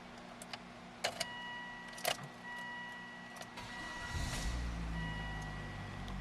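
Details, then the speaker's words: 2003 Volvo XC70 Cross Country AWD wagon: key clicks, engine fires promptly and settles into a quiet, smooth idle with no rattles or stumbles; starts every time, no warning lights. "starts beautifully every time. There's really no issues whatsoever."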